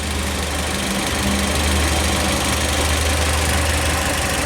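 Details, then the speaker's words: 2007 Kia Spectra, manual, 166,000 miles, after crank no-start complaint: uneven, lumpy idle with loping low beat about three or four times a second; cam timing way advanced, nine teeth before sync notch. "look at that that's way advanced right this is the that's the cam it's occurring one two three four five six seven eight nine teeth before that sync notch"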